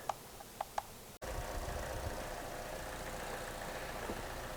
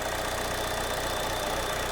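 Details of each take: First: GM 1.4L turbo Ecotec with code P0171, after the camshaft cover was replaced and torqued to 71 in-lb: a steady, even idle with a low hum and no whistle or hiss; the engine runs much better and fuel trims are balancing. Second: GM 1.4 L turbo Ecotec petrol engine idling with P0171 and maxed-out fuel trims: faint steady high whistle of a vacuum leak through the ruptured PCV diaphragm on the camshaft cover.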